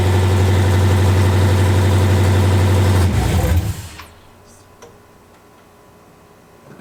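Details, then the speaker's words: Rebuilt forged, cammed Jeep SRT 392 Hemi V8 running after install: strong, even low burble at idle for three seconds, then shuts off cleanly; runs smooth and healthy. Normal running. "Yeah. Did it start? Yeah. Satisfied with how that sounded too. Nice."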